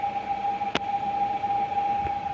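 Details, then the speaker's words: 2023/24 Fiat Cronos automatic, 53,000 km, wheels in the air, in gear: loud steady high whine at one pitch from the transmission, stops when shifted to park; cause suspected, not confirmed. "eu acredito que tá dando para vocês notarem ouvirem o barulho muito forte o barulho olha só"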